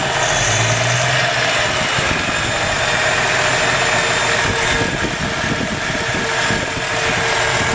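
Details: Carbureted (Weber) engine warm after a drive, idling about 800 rpm with steady oil pressure, under the hood: a steady hissy edge over the rumble from a vacuum leak the owner still needs to fix.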